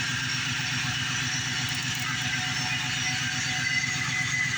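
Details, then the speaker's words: Idling engine with a low constant hum from the front accessory area; owner suspects water pump or alternator bearing; alternator confirmed charging after a recent dead battery. "I don't know if you can hear that water pump be hearing but it's it's a hum"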